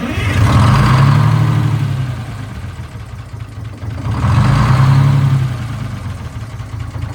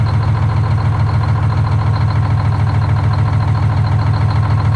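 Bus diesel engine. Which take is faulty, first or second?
first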